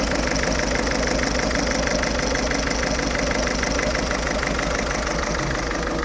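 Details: Ford Fiesta 1.6 TDCi diesel idling with an uneven, lumpy beat about twice a second over the clatter; rough idle, also smokes acrid when revved, cause not yet found.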